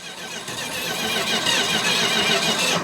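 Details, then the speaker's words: 1969 Dodge Charger General Lee, sitting for years after a repaint, cranked for the first time on a fresh battery: the starter turns the V8 with an even, rhythmic chug, with healthy compression on each stroke. "it's got compression it's got compression yeah it's got all the good things"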